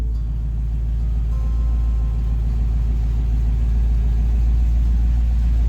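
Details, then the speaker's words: Chevy Nova V8 on newly installed Holley Sniper EFI after fuel leak found, idle adjusted down: TPS 0, IAC 2–10%, 850 rpm; deep even burble with no hunting or stumbling, sounds good. "TPS is still at 0, and our IAC is between 2 and 10%, and our RPM is at 850. That sounds good, right?"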